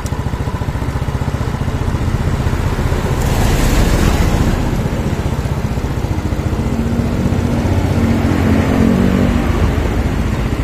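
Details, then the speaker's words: Yamaha Mio Sporty scooter after rebuild for lost compression (previously no compression, light when kicked), idle being brought down, leftover oil in the exhaust; fast even putter firing smooth and regular; healthy idle. "Oke kita matikan dulu ya ini halus guys mesinnya nih ya kita matikan"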